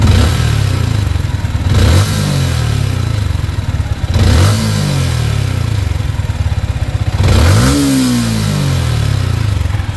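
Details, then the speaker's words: Sniper 155 motorcycle at 28,740 km, tappets adjusted and tuned up, revved in three blips over a harsh metallic clatter following engine speed; noise traced to a loose manual cam chain tensioner. "Wow, medyo masakit nga yung"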